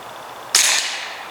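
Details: Hatsan Sortie PCP semi-auto air pistol firing at about 211 fps after hammer spring adjustment: one sharp, clean crack with a short hissing tail and nothing odd after it; the pistol fires normally.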